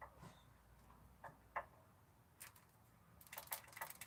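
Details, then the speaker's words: 1984 Ford F-250 4x4 460 7.5L V8 PCV valve removed and shaken by hand: loose, irregular clicks and rattles, moving freely, so it is not clogged with carbon. "Sounds good to me, baby. It's rattling the way it should. So they say as long as they rattle, they're good. It's not clogged."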